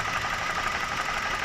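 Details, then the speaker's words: BMW (E46/E39/E60 family, 316 Valvetronic) idling with coil connectors unplugged one at a time: uneven, lumpy stumbling idle that doesn't change when cylinder 4 is unplugged; fourth-cylinder ignition coil not working, as the tester indicated. "like how you can see, the spark coil does not function on the fourth cylinder. So look, so no change."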